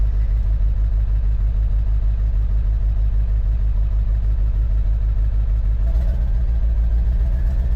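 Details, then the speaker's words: Rough, lumpy idle on an old Ford Powerstroke diesel truck that sat about 3 years on half a tank of diesel. It's smoking. Owner suspects a hole in the passenger-side exhaust manifold; a past scan flagged cylinder eight, hoped to be an injector. "She's definitely smoking. >> Might have a little exhaust leak >> a little bit. I think the passion side exhaust manifold has a hole in it."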